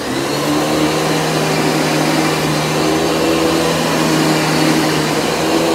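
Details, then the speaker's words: Panasonic MC-6347 vacuum running on carpet: a steady, even motor roar at constant pitch with no surging or rattles. It runs smooth with no problem; the brush roll has only a minor click. "I mean, it runs smooth, no problem."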